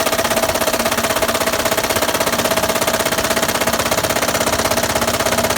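A loud, steady knocking at about two per second hammers over the running engine, deep and metallic, pointing to a badly worn bottom end. Cause suspected, not confirmed.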